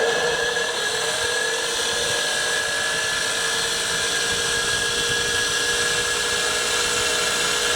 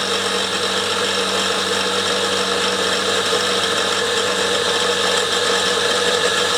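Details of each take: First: Steady high-pitched motor whine with an even pump rhythm around three strokes a second, no knocking or grinding: a fire-truck compressor pump converted from a 240 V motor to a 12 V DC hydraulic pump motor, running smoothly. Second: Fire-truck compressor pump converted from a 240 V motor to a 12 V hydraulic pump motor, running: coarse gritty rumble and hiss over the hum. The bearings are really rough and need urgent replacement; a knock also comes from the drive.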